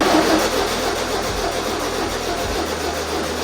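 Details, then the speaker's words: 1973 VW Super Beetle 1303, air-cooled flat-four, after 15 years outside, points cleaned and plug wires reordered: steady starter cranking about four pulses a second, never firing; no spark, likely because the distributor shaft doesn't open the points. "Okay, once again here, of course it didn't start. Earlier I didn't check one thing, and I think that now I found the issue, because as you can see the shaft here is more like square than oval, and it pushes the points like that. But when I turn the engine, it doesn't move the points at all."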